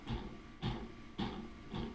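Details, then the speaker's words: FPV drone motor on a build: four rough, gritty bursts about half a second apart from a totally destroyed motor bearing that is also very sloppy. "That bearing is totally annihilated. Come on, man, really? Now I have to swap a fucking bearing out?"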